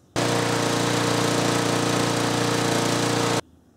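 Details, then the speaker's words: 6 hp Briggs & Stratton engine on a Murray mower after crimping the governor spring to raise maximum governed speed: a steady, even, higher-pitched drone with no miss or surge, with a noticeable change in tone from before. "Yeah, definitely a change in tone right there."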